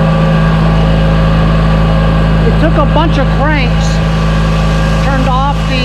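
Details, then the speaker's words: Toro 616Z zero-turn mower, first start of the year after about five five-second cranks (the pulse fuel pump feeds only while cranking): steady, even low drone at constant pitch with no misses or knocks; runs smoothly. "cranked it about five sets of like five seconds you know started right up man"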